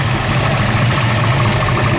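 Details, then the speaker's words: 1973 Mustang Mach 1 big block with a big cam, aluminum heads, headers and high-rise intake, idling at about 500-600 rpm: slow, loping idle with an uneven rumble and steady low beat, no knocks; normal lopey cam idle. "Now we've got this idle sitting at about 500-600 RPM, just so we can hear that awesome cam sound to it."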